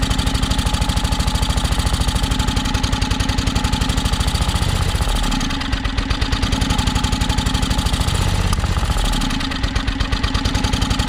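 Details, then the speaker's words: John Deere X485 riding mower: engine chugs with rapid even firing, then sags and nearly dies twice before catching again, sounds starved for fuel; owner suspects air pressure issue, battery nearly dead. Cause not confirmed. "so sounds like it's definitely um sounds like it's starving for fuel"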